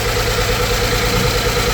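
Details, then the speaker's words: 2008 Mazda CX-9 idle with repeating stumble as one cylinder drops out: cylinder 1 misfire, code P0201 injector open circuit, wiring checked fine, the cylinder 1 fuel injector itself is open-circuit. "circuit it's totally fine it's just the injector open circuit confirm that cylinder one misfire of course it's on cylinder one"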